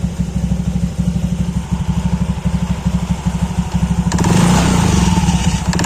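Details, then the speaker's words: Honda KOJ-series scooter (Beat, Scoopy, Genio) CVT barely audible at idle, squeaks like a mouse when throttled, recorded with the CVT cover off; the clutch bell (mangkok ganda) is worn from rubbing against the clutch shoes. "Ini kalau lagi idle atau langsam gini ini nggak terlalu kedengeran ya, tapi kalau begitu digas itu bakal bunyi kayak suara tikus, bunyi cicit cicit."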